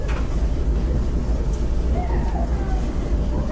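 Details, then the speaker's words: Clothes dryer that screeched, after idler pulley replacement and roller cleaning and lubing; low steady drum rumble with no screech or squeal, turning smoothly and much quieter. "much much quieter yeah this lady was super happy"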